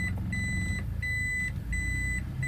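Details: Automatic car after transmission additive fixed delayed engagement into D, reverse engaged: steady high beep about every 0.75 s over quiet idle; normal reverse warning, reverse responsive without throttle.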